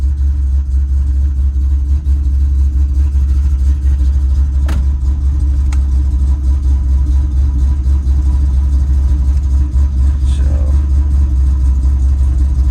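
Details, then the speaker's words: Ford Mustang Bullitt V8 idling during a data log, after overdue spark plug replacement: steady deep low rumble with no misfire or stumble, much healthier than with the old plugs; normal idle. "so basically the car sounds much better than it did with the old spark plugs so definitely sounds much much healthier"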